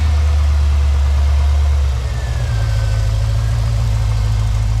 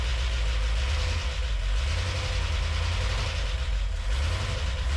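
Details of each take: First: Boosted V8 in a classic Range Rover on first start, idling smoothly: deep, steady, even rumble with no knocks or misses; normal idle, though an EFI setup is still to be done. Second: Classic Range Rover with boosted V8 on LPG, first engine start: low, heavy idle with a sluggish, uneven beat and slight knocking; engine sounds labored straight away, generally ignition timing.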